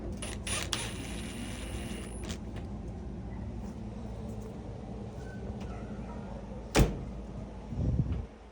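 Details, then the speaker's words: Samsung top-control dryer after clearing lint from heater area, following rumbling complaint: steady even low hum, no rumble or thumping; running normally. "Quiet, right? Yeah, sounds like a normal Samsung. Sounds really good."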